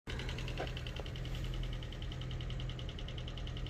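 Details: 2011 Chevy Cruze LTZ turbo at warranty inspection: quick, even ticking about twelve per second over a steady idle, coming from the top of the engine.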